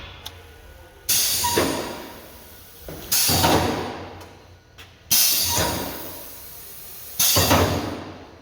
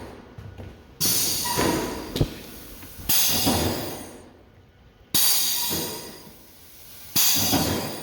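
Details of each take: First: Ryko car wash on-board dryer after swapping a good relay into the air switch solenoid position: a sharp clack and rush of air about every two seconds, evenly spaced as the flaps alternate; normal nozzle oscillation, new relay fixed it. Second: Ryko car wash on-board dryer with a blower oscillator fan-nozzle test run from the control board: air rushes in slow bursts about every two seconds instead of a brisk sweep, flaps moving very slowly and tired.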